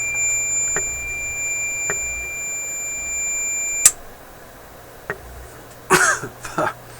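A piercing steady high-pitched alarm tone holds for about four seconds, then cuts off; the smoke detector has been set off. Cause suspected, not confirmed.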